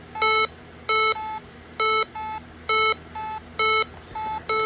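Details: Bosch B9512G alarm panel keypad sounds a steady two-tone beep pair about once a second, counting down the exit delay after a full arm of all areas; delay accidentally set to 60 seconds.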